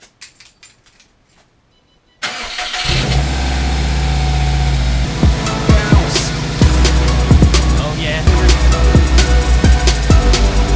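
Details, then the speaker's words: Subaru after replacing the failed cylinder 3 ignition coil (P0303 misfire): a few clicks, then the engine cranks and settles into a steady, even idle under background music, running smoothly. "yeah it works great success she is operating smoothly now"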